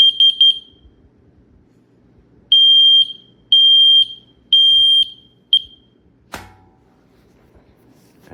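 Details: Yfwsrecinoe combination smoke and carbon monoxide alarm, dual sensor, 3 AAA batteries, test button pressed after boot countdown: loud shrill beeps, three quick then three longer pulses about a second apart; test alarm sounding normally.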